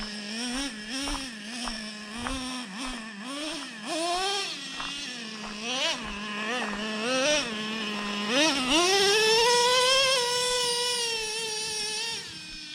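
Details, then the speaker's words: Traxxas Revo 3.3 nitro, warmed up on its final tune after break-in: clean, high buzz that rises and falls smoothly with throttle blips, then climbs and holds with a smooth second-gear shift. It idles without creeping and is well tuned. "second gear it's real smooth shifting let's listen for it"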